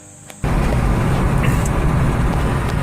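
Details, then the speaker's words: Ford Expedition 4WD at about 55 mph after swapping out the suspect drive shaft. Steady low road rumble with no rhythmic shudder, clunk or rattle. The earlier noise is gone, confirming the original drive shaft was bad. "And would you believe that noise is gone? It is smooth as butter in here. And that change that I showed you earlier that was rattling, it's no longer nervous. It's not like it had 10 cups of coffee. Quiet."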